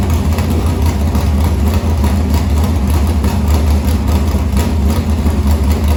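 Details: Morgan Machine-built open V8 (about 358 cu in) race engine in a Harris car, EQ heads, likely Edelbrock Victor Jr two-barrel intake, started after sitting a week and a half to refill an unhooked fuel line: deep, loud, steady burble holding even idle, no knocks or misses; normal idle.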